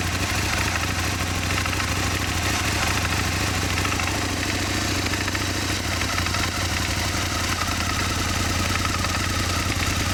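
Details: Aprilia Mille R V-twin motorcycle at first startup idles with a light, fast ticking and occasional knock over its steady beat; engine ticking and knocking at idle, cause unknown.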